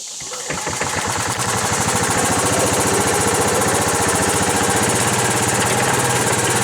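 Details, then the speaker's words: Old Club Car Carryall, fitted with an electric fuel pump, driving in the yard; it revs up and slows down with a rapid, uneven, swelling beat. The owner suspects governor linkage out of adjustment. Engine surging. "Not sure if it's picking it up on camera, but it's kind of surging back and forth there, so."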